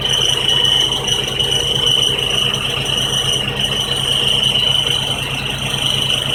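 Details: 1999 Honda Civic idling: steady high squeal from down pipe to resonator pipe joint, missing gasket letting engine vibration rub bare pipes together; fitting proper gasket removed the noise.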